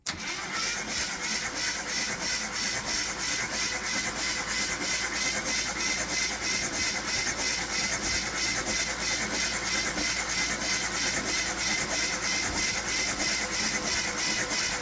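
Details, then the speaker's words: 1973 AMC Gremlin parked 30 years in a barn, cranked via jump pack at starter solenoid; even strong rhythmic cranking about three turns per second for roughly fifteen seconds; normal cranking. "That actually cranks and sounds like an engine. The darn thing sounds really good,"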